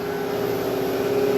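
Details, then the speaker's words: Used Hydrovane VSD rotary vane air compressor at pressure, running slowly near unload (believed to unload at 130) with faulty transducer: steady even drone with constant mid tone and gentle swell, running smoothly. "it doesn't sound like it's unloaded yet i believe the load that unloads that 130"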